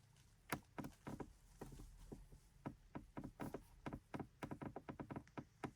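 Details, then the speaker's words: Volkswagen centre console and dash trim creaking when pressed, with sharp irregular plastic clicks from dry trim rubbing. Occurs once warmed after a 30-minute drive or in sun. Right side treated with WD40 silicone is quieter than the untreated left side. "on the right hand side where I put the WD40 silicon lubricants there's still a little bit of noise but it's better than before on the left hand side where I haven't applied anything"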